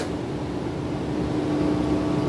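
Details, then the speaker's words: Stratocaster with new pickups: steady low 60-cycle electrical buzz through the amp with no playing, vanishing when the strings are touched, present even in the hum-cancelling position; grounding fault suspected. "Hear a little buzz? Touch the strings and it goes away."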